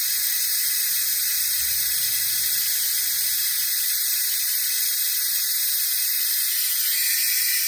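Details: Jeep Wrangler YJ cooling system under a shop-air venturi vacuum bleeder, drawn toward 25 inHg: steady, even high-pitched hiss with no sputter; bleeder working normally, though vacuum later dropped, revealing a leak.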